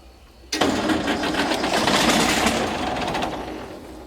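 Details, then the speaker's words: Galion T500 motor grader diesel, sat 14+ years since 2007, first start attempt after radiator hose, hydraulic line repairs and hydraulic fluid fill: starter churns at an even rhythm with no firing; fuel shutoff left closed after pump removal. "Alright, so I just remembered I had shut the fuel off yesterday when we were taking the pump off, so I didn't have the fuel on right there, but it really sounded like it was going to fire off there, so I got the fuel turned on now and I'm going to crank on it some more."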